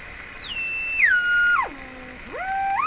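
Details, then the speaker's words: Canadian Westinghouse Model 684 radio, signal generator swept near the 455 kHz IF: whistle slides down in steps, bottoms out, then climbs back, a beat frequency between signal and a second signal; IF stage oscillation. "And we could hear, as they approached, we could hear the difference frequency, the beat frequency coming out."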